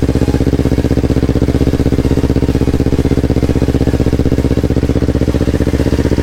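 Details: Yamaha R25 with a freshly swapped-in R3 engine at its first start, on a borrowed Akrapovic exhaust, before ECU mapping: a steady, even twin idle with a deep, regular exhaust pulse and no knocks or misses, running normally.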